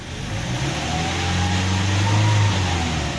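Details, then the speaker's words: Petrol car after a spark plug replacement and air filter check: the engine revs up smoothly from idle and settles back with no stumble or misfire, showing that ignition and air intake are normal. "tidak pincang. Nah, ini menandakan bahwa mesin sudah normal dan layak untuk digunakan."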